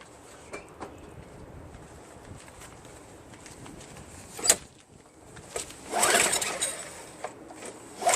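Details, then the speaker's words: Craftsman Eager 1 22" self-propelled mower, Tecumseh 5.5HP engine, after a fuel treatment failed: a few rasping recoil pulls, never catches or fires; no-start, carburetor (later found trashed beyond repair) to be removed. "Alright, it is official. This thing doesn't start. I'm going to take out the carburetor."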